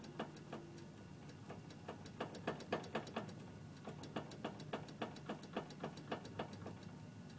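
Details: 2006 Honda CR-V: sharp, uneven clunks about three times a second as the steering wheel is turned. Binding or vibration is also felt over small bumps.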